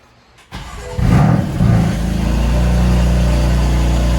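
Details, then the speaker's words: BMW M4 at 30,000 miles after fitting new spark plugs gapped to 0.02: quick crank, clean catch, two rev blips, then a steady even idle; the drivetrain malfunction light no longer appears. "Oh yeah, that sounds way better. Way better. I'm not getting the drivetrain malfunction light or anything, so I fixed it."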